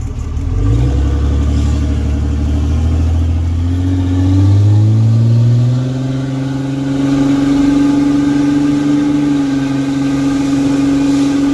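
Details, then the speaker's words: 2006 Cummins diesel truck with broken 7-year-old exhaust flex section: loud, raw unmuffled roar rising with revs then holding high; exhaust leak, planned fix is replacing the flex pipe with two more clamps. "All that broke was the little flexi section, so it's like 50 bucks."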